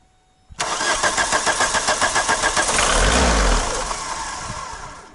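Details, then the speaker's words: VW MK2 diesel with new return fuel lines, injector pump suspected faulty: starts at once into a lumpy pulsing idle of about 214 beats a minute with a brief swell; idles rough, smokes, won't accelerate. "let's listen to that [ __ ] that sounds like [ __ ] how we looking underneath here it's all good no leaves it runs it just doesn't accelerate"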